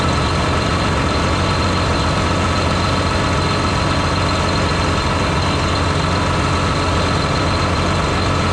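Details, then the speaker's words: John Deere 8345R tractor diesel running after fan clutch repair while parts are reassembled; steady, even clatter with no knocks or misses. Normal diesel idle. "all right now I might go go ahead and fire it up and let it run for a while make sure everything's going to be okay while I put all this [ __ ] back on"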